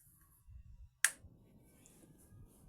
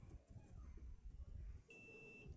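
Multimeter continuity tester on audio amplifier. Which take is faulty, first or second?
second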